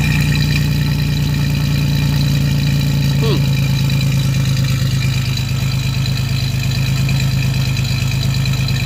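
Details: 1987 Chevrolet Celebrity Eurosport, 2.8 V6, 237k miles, cold, before a catalytic converter is fitted; the microphone is at the exhaust. An even low idle with a coarse, raspy, buzzy exhaust note from running without a cat, plus a fuel smell.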